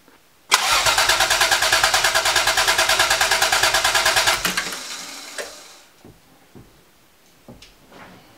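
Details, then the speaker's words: 1980 Toyota Supra barn find, unstarted for years, after a replacement fuel pump was fitted: steady cranking at about three turns a second for four seconds, never catching. No fuel delivered because the new pump's power was left unplugged. "all right nothing yeah probably gonna have to figure out a way to try to prime that pump"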